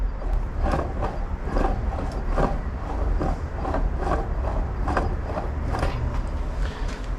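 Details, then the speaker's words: Yamaha Jog CE50 70cc two-stroke motor with a scored piston, spun by hand: a rough, rhythmic grinding rattle about once a second with each turn. Owner suspects worn crankshaft main bearings, unconfirmed until the crank is pulled. "I'm not too sure about that crank, or at least those bearings on that crank, and I don't know if I can get those bearings, so I'm at a bit of a catch-22."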